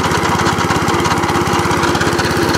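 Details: Petrol cylinder lawnmower on choke with revs raised: steady, even putter with a firm regular beat as the cylinder turns; engine runs fine, cable suspected broken.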